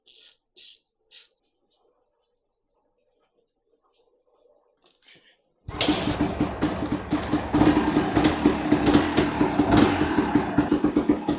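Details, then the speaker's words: 1991 Honda CRM 250 two-stroke after balancer shaft and bearings were replaced, following an engine noise that scared off buyers: starts and revs in quick, even blips with no rattle or knocking, sounding much quieter; normal running. "Yeah, it sounds a lot quieter. Oh, it sounds well different."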